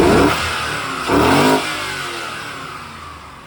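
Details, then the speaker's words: 2000 C5 Corvette 345 hp LS1 V8 with 77,960 miles, backed by an automatic, oil pressure about 40 psi; two quick throttle blips rise and fall smoothly with no knock or tick. Healthy rev, no knocks, ticks or leaks. "engine's in top shape with no knocks or ticks or leaks go ahead and rev it up"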